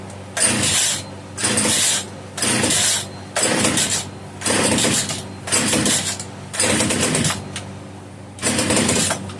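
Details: Italian-made Castor 330 Antivib (rebranded Alpina) chainsaw, tank over half full, choke hard to engage: repeated short high buzzing bursts each dying after about a second; fires but won't keep running, owner suspects rock-hard carburetor diaphragm.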